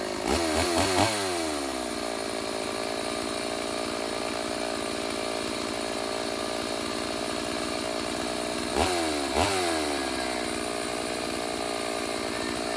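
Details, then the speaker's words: Stihl AV 028 Woodboss two-stroke chainsaw after fuel line and filter replacement fixed lean bogging, carb tuned; revs sharply, steady even idle, clean blips, no bogging. "Alright everyone, so we went ahead, got it fired up and dialed in a little bit. We'll see how it sounds now."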